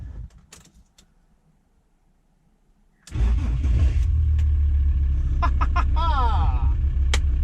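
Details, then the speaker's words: VW T4 Transporter 2.5 TDI AJT/ACV five-cylinder diesel after an injector swap, cold start after a cold, rainy night standing: a brief crank, then it fires straight away into a steady, even idle. Before, it needed about a dozen cranks; injectors confirmed as the cause. "so let's see now it stood overnight it's been quite cold overnight it's been raining um so it'll be a real test of whether injectors are working so here we go"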